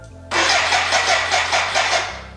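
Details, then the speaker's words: BMW K100 café racer build, first start attempt with fuel and oil in and oil pressure confirmed: even starter chugging about four beats a second, never firing, music over it; no fuel delivery. "uh yeah let me update you what i have found out so far there is a fuel problem"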